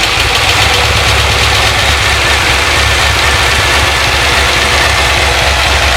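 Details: C6 Corvette Z06 with 441 LSX, Mast heads, new cam, ProCharger, tuned on E85/methanol, after heads-cam install: steady, even idle with deep rumble and no ticking or tapping; previous ticking now gone, some shaking, motor mount suspected; normal idle.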